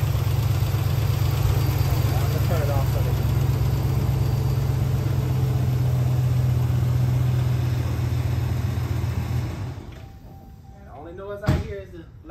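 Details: 2013 Dodge Ram 1500 5.7 Hemi after lifter and camshaft replacement (failed lifters damaged cam): steady deep idle with no lifter clatter, light injector tick, then shuts off; healthy.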